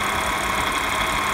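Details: 2015 Audi S5 at steady idle. A thin high whine rides over a faint metallic rattle. Whining/rattling noise, cause unclear.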